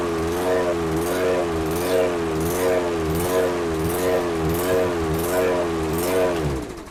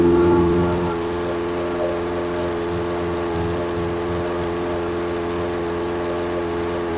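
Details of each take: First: Briggs and Stratton 190cc engine on a 22-inch Toro Recycler mower with a brand-new aftermarket carburetor: speed hunts up and down about once a second; surging, likely running too lean from an undersized jet. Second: Briggs & Stratton engine on a 22-inch Toro Recycler mower after swapping an aftermarket carburetor for the original OEM carb: steady, even hum with no surging; running smooth and healthy.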